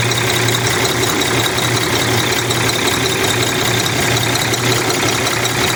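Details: Cummins ISX 870 diesel truck at idle after injector replacement and overhead adjustment, air connector off, primer pump run; heavy uneven beat about 160 pulses a minute with a faint stumble. Owner suspects low air pressure; still has a miss.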